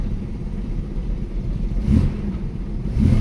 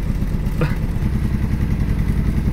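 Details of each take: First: 1965 Mustang coupe, six-cylinder, revived after setting the points, plugs and timing and then adjusting the idle: a low, even rumble with two short throttle blips and no misses or knocks, settling to a smooth, normal idle. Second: 1965 Ford Mustang coupe that hadn't run since last year, idling after setting the points, cleaning the plugs and adjusting timing: a lumpy idle with uneven low thumps and dropped beats, aggressively missing and shaking; it still needs more adjustment.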